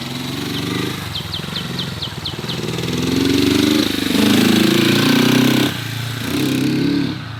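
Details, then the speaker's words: 1970 Honda CB450 twin, barn find parked 20 years, first ride after revival: sputters and wavers, revs hang and sag unevenly under throttle; bogging, cause unknown, owner to check whether fuel is dumping into the engine. "So we'll be cleaning the bike, front brake, and diving into what could be this bogging situation."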